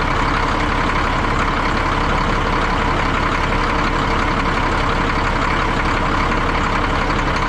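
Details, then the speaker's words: 1962 Peterbilt 351 with an old pre-cup Cat diesel, started after sitting about 3 months over winter: a loud, steady, rapid rolling clatter at idle with no misses or knocks; a healthy idle. "I think this is by far my favorite kind of engine, these old pre-cup cats. They just sound awesome."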